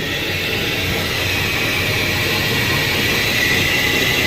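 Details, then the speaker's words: 2018 Ford F150, customer reported front wheel bearing noise: steady high howl over road rush from failing rear differential/axle bearing; rear end needs rebuild. "let's go back to the rear end man rear end is toast oh yeah that's coming right inside that i feel it too"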